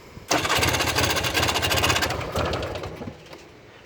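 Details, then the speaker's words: 1994 Polaris 400L 4x4 ATV: fast starter chatter about four beats a second cranking on without catching, a long hard start; once running it idles very low, and owner suspects the ignition coil. "leave that fuel runner for a second and let's see if you'll start right here she may or may not cuz that's part of my issue here no she might want it one more time"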